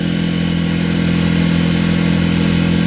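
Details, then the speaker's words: Mercury 4 hp outboard after no-start revival, boat underway at full throttle, not quite planing: loud steady buzzing drone that never climbs; owner feels revs are too low, suspects outboard mounted out too far or angle, cause unconfirmed. "Got it floored. I don't hear the RPMs that I feel like I'm supposed to, but I've never owned this type of outboard."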